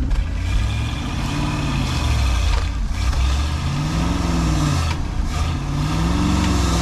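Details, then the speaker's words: 1971 Ford F600 manual-transmission ex-U-Haul box truck, long-sitting, carburetor just refitted; put in reverse, low engine drone swells and bogs, struggling, truck doesn't move; engine labouring under load, cause not confirmed. "I was trying reverse there, but you could hear it struggling. It wasn't doing nothing."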